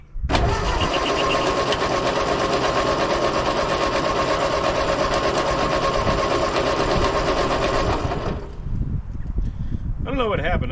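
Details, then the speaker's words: 80+ year old Ford 9N tractor that ran then died: engine cranks steadily on the starter about eight seconds without firing, no spark; coil believed failed, new 12-volt coil, resistor and condenser bought. "coil went bad well today is a bright new day for the old ford here i'm pretty sure that the coil died on us"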